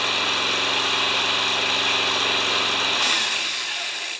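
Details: Yard Works/MTD mower with Briggs engine, spring auto start, before tune-up; steady fast even buzzing run about three seconds, then drops away and stops; starts and runs normally.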